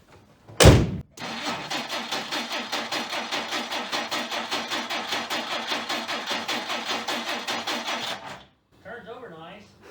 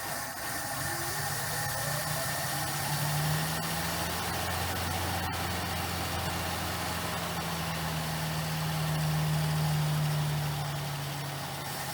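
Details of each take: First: 1959 Plymouth Suburban wagon, long-stored barn find, on its second start attempt: steady starter cranking about five pulses a second for seven seconds, catching only briefly before dying. The points were dressed but apparently need further dressing. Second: 1959 Plymouth Suburban wagon, long-stored barn find, just started after more gas was added. Soft, even low idle with a steady hum and no knocks or misses; the engine is so quiet it's hard to hear it run.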